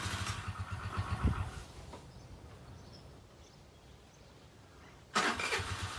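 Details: Chinese Geely 50cc two-stroke scooter that sat unused, carburetor just cleaned, fresh fuel: sputters and catches unevenly for a couple of seconds, dies, then bursts back; hard start while fuel refills the carburetor.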